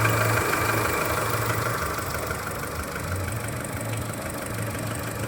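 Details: Skoda Fabia 1.4 at cold idle: faint regular light knock under the running noise from low near the timing belt, plus slight lifter tick; dealer says normal piston slap, cause unconfirmed.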